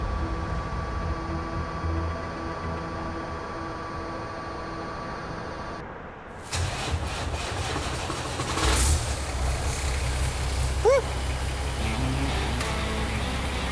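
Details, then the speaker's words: Diesel truck nicknamed Mad Cow, after a two-hour fuel-line repair and electric priming: after a quiet spell it fires up and settles into a steady, rough-edged rumble; running properly again. "priming yeah baby after a 2hour repair mad cow is back on the road"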